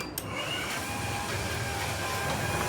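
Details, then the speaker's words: Old roller door opener closing the door: steady, even motor whirr with light gear hum, no knocks or grinding; runs normally (door ballooning thought to be from catching on the track edge). "happens. That's closing. Not a problem."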